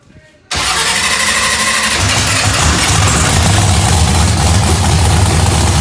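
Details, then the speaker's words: Procharged 2000hp drag-race Mustang with freshened heads, back running: catches quickly and settles into loud, deep, steady rumble with no knocks or misses; starts and runs healthy. "That thing is loud, ain't it? Burning my nostrils."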